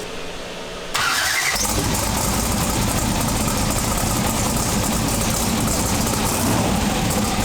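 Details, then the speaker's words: Twin-turbo big-block V8 pro mod drag car with a Turbo 400 transmission, running again after about 3 years. It catches after a short crank and settles into a strong, steady, lopey idle with no misses or knocks. Normal idle. "all right so we got this thing up and running finally after 3 years of waiting um so the engine sounds awesome"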